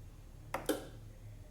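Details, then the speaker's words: Mitsubishi Galant hardtop being powered up with the battery first connected before its first engine start: three sharp dry clicks, confirmed as the headlight relay switching on and off, with the high-beam light on. "can hear the I think it's the headlight relay"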